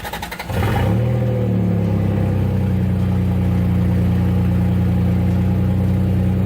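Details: Turbocharged Toyota 3VZ-E after wiring the fuel pump directly from the battery through a toggle switch: brief cranking, catches within a second and settles to a strong, steady, even idle; starts and runs fine.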